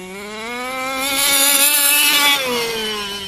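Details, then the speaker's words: OBR 34 reed small-bore two-stroke in 1/5-scale 5B race-kit buggy: screams up high and back down with slightly burbly uneven top end; still a little rich at full rpm, to be leaned out slightly. "huh i think she's still a little rich on top"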